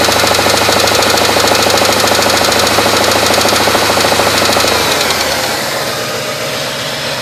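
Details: 1995 GM B-platform LT1 V8 at 278k miles: sharp, regular metallic knock about three per second over the idle until shutdown; spun rod bearing knock.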